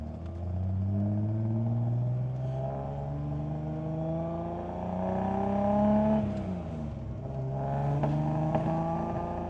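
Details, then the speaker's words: 1973 Datsun 240Z on first drive after 2 years off road, old fuel, tank near empty, possibly running rich or lean (unsure): engine drones through the gears with a few sharp pops and bangs between shifts, otherwise running all right. "A couple of pops and bangs. But it seems to be doing all right."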